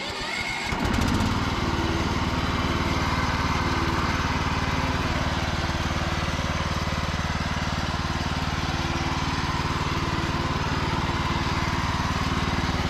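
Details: Cub Cadet lawn tractor, single-cylinder, after 3+ years sitting and a charging-system repair, final test run: starts and settles straight into a steady, even run at constant speed with no misses or knocks; healthy normal running.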